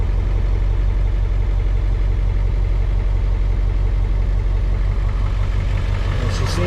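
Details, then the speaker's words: 2001 Ford F-450 7.3 diesel that ran on 4 cylinders (codes P1316, P1271, P1274, P1275), restarted after high-pressure oil built past 500: deep, even clatter with all cylinders firing. Smooth normal idle. "to be running pretty smooth right here"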